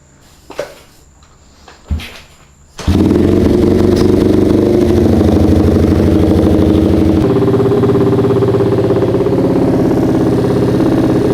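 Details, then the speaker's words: Honda CRF50 just started in first gear, after the carburetor float was readjusted. A quick patter at idle that wavers slightly; it struggles a little to idle, though not badly. "It's having a hard time idling a little bit, but it's not too bad. But I just kind of want to see if it works or stutters or whatever."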